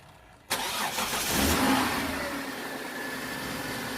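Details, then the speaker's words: 2003 Kia Sorento after replacing a defective starter and the battery; short crank, engine catches cleanly and settles into a steady even idle, confirming the new starter works; normal start. "As you guys heard from the previous video, the vehicle did go ahead and turn on. So that confirms that our replacement starter is fully working and that the old starter was defective."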